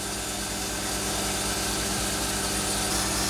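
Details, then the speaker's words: Valve refacing machine grinding a lubricated valve from a Jeep Wrangler 4.0 cylinder head: steady motor hum with a fast rhythmic chatter, about 160 a minute, as the stone bites the valve face. This is normal refacing contact. "There you go. You can hear it start to chatter right there."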